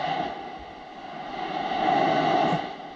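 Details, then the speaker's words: Shop compressed air line heard through an ultrasonic leak detector: steady hiss swelling and fading as the probe passes the coupling; air leaking at the quick disconnect. "we have a leak right in this quick disconnect I don't know if I'm gonna call that a major leak"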